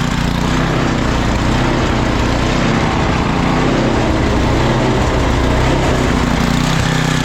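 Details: Craftsman 9 hp 26-inch estate-sale snowblower after oil change and new spark plug, carburetor found clean; loud steady drone at even speed, no misses, surging or knocks; normal running.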